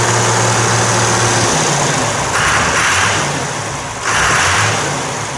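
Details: 1990 John Deere 3350 tractor diesel after valve failure repair, first run: steady low throb that picks up cleanly on throttle with no knocks or misses; healthy.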